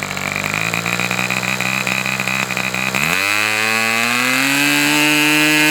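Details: Customer's Fox twin-cylinder glow engine on probably its final run of the day, outdoors as it cools off: crisp two-cylinder buzz climbs cleanly to a steady high speed and holds smooth and even with no misfire; healthy engine, described as very enjoyable.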